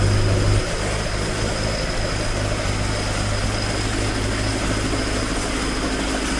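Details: Toyota AE86 with 4A-G engine after exhaust leak repair, stock exhaust: a steady, even low idle with a smooth exhaust note and no ticking or puffing. Normal, leak-free exhaust note at idle.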